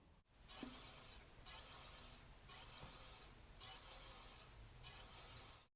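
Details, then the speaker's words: Electric bike rear disc brake whose rotor sits too close to one pad in the caliper, making a faint airy swish about once a second as the wheel turns; fixed by loosening the two caliper bolts with a 5 mm hex key and re-centering. "if the disc is too close to either side it's going to make several noises and all of them come from the same problem it starts off pretty easy with a very faint wisp of a noise kind of sounds like this"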